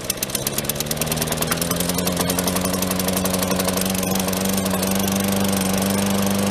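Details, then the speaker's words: Lawn mower engine restarted after tightening a loose blade, slightly flooded: fast even buzz settling to steady pitch within a second or two, no knock, running great. "That lawnmower runs great."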